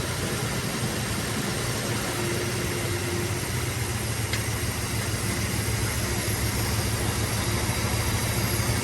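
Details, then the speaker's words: 1968 Dodge Monaco 500 440 Magnum V8, rebuilt, first start in 36 years, after 20-minute break-in at 2000 rpm, warm, about 27 degrees timing: steady even rumble at about 800 rpm idle, no knocks or misses. "we're at about 800 rpm and i think that's where we're going to keep it for now until we can"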